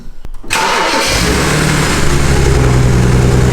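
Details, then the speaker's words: BMW 335i started, settling into lumpy idle with uneven beat and a roar; misfire from earlier, owner suspects ignition coils, replacements on hand. Engine misfire at idle. "you can actually hear it miss firing it sounds quite nice to be honest it's got a bit of a roar to it i think once we fix it it will be really quiet"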